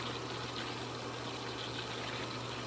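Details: Hayward sand filter pool pump after replacing leaking backwash valve O-ring and gasket: steady rushing water with even low pump hum, no sputter or surging; normal running, no leaks after repair.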